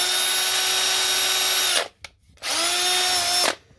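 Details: Repaired cordless power tool test: spins up to a clean steady high whine twice, about 1.5 seconds each, stopping crisply; runs normally.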